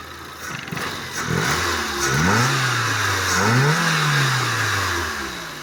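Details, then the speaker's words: Fiat Uno petrol engine after repair of a knocking piston pin: starts and takes a few quick revs, running smoothly with no knocking, as the engine should run. "Esse é o funcionamento do motor que deveria estar. Esse aí foi o resultado aí que obtivemos."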